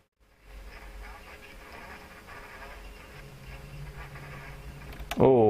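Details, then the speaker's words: Dynatron HFC31M radiogram turntable under overhaul, right channel very low: thin, buzzy playback with a gritty edge and little body; stylus possibly damaged when caught with a thumb earlier; worn stylus. "it appears to be oh hang on spoke too soon didn't I yes it does seem to be working all right that stylus doesn't sound great I think I may have cocked that up when I caught it with my thumb earlier"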